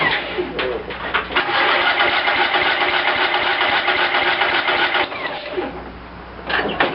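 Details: Cub Cadet lawn tractor after carburetor rebuild, primed with gas: long steady starter cranking, about four beats a second, no catch; fuel starvation because the new manual fuel shutoff was left closed.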